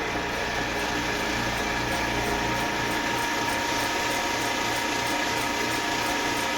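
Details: Eastwood Elite QST 30/60 scroll air compressor after replacing the failed pressure switch, which had never cut out and popped the 30 A breaker: building early tank pressure toward the 145 psi cutoff, even whirring hum, faint steady pulse, no knocks; normal running.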